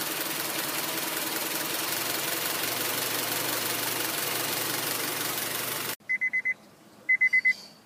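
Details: 2004 Honda Civic LX, 7th gen, warm engine: low, uneven idle with a dull irregular rumble for six seconds; rough idle with low rpm, shaking, hesitation and stalling; owner suspects O2 sensor, IAC valve also considered; cause unknown.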